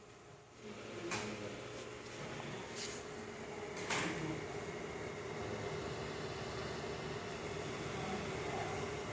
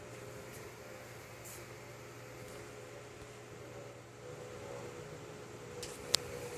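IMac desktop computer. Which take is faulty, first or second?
first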